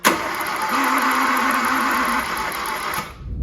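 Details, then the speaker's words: 2013 Hyundai i10 1.2 petrol: starter cranks steadily three seconds without catching; low compression from blown head gasket, cylinder head cooked after running without coolant. "It sounds like this because somewhere in one of the combustion chambers, the head gasket has failed, meaning it can't hold proper compression."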